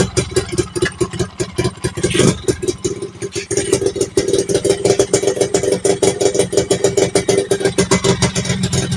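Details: Yamaha Fiz R two-stroke with stock clutch, replaced primary gear and CDI, lower tube just replaced: ragged uneven pulses and sharp pops when throttle is blipped; still misfiring, pulser suspected.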